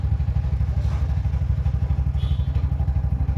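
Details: 2025 Bajaj BS7 auto-rickshaw, 6,000 km, which had starting trouble after water got in during servicing: after the fix, a steady low single-cylinder idle at about two beats a second with no misfire or knock. It runs properly again.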